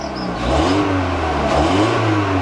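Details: Mk4 Golf after new spark plugs, plug wires and coil pack: the engine revs up cleanly and falls back without the earlier breaking up, stumbling or popping; it pulls smooth and even, misfire cured.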